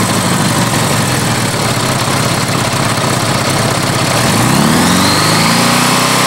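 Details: Honda GL1100 motorcycle, cold engine, idling with rough tapping then revving to 4000 rpm on side stand; oil pressure drops and connecting rod bearings knock, completely wiped out.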